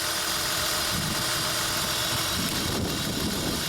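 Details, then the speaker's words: 2003 Honda Odyssey 3.5L, code P0305, engine shaking, cylinder drop test: uneven lumpy idle under steady hiss; unplugging cylinder 5 coil causes no change, so that cylinder misfires from a coil not firing. "okay wow it looks like this one is not really working [Music] see that no change now this is cylinder number five"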